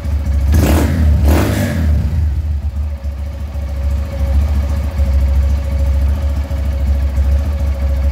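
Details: Honda Titan 150 Mix that would not electric-start, after reassembling a part with its small spring in correct position, no parts replaced: quick crank catches right away, steady even single-cylinder idle, no misses; healthy.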